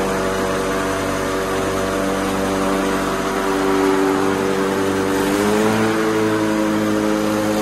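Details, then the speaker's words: White LT1650 hydrostatic riding mower after deck, drive and hard-starting repairs, seat safety disconnected, blades engaged and in reverse: it fired right up on the key and runs steady and even with one smooth speed step-up, quieter than ever. "this is the quietest quietest it has ever been and that key fired right up"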